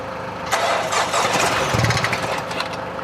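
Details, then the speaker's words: Wrecked 2024 BMW X1 (U11) being rebuilt, started on external power: cranks and catches, then runs unevenly with hissy, uneven firing; too much unmetered air from an open intercooler pipe. "Our intercooler was open, and that's why you heard. Yeah, go. Yeah, it's too much air."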